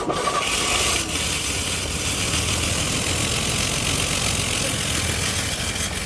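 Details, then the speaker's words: 1983 Chevy Camaro abandoned 15 years, first start after fuel system revival: it runs with an airy, hissing rush and little deep rumble, with no muffler, major exhaust leaks and many vacuum leaks. "There's a lot of vacuum leaks yet, but it actually runs. But the problem is right now, it's insanely quiet, and there's no muffler on, and we got some pretty major exhaust leaks going up here. It just sounds like air."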